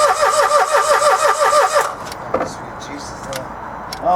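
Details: Dacia Logan after timing chain replacement, plugs reinstalled: starter spins the engine evenly at about three beats a second for two seconds, then stops without firing; cranks, no start, possibly flooded cylinders.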